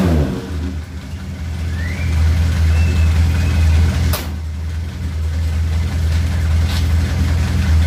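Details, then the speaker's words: Suzuki Katana after ignition points were set and the distributor turned counterclockwise, having been very hard to start before: it catches almost instantly and settles into a firm, steady beat that picks up cleanly; timing now right, starting and running normally. "kalau kesehatannya Brazil mengarah kebawah dan konyol pilih starter langsung greng langsung didapat tenaganya enak banget Dur dan suara mesin juga akan lebih halus"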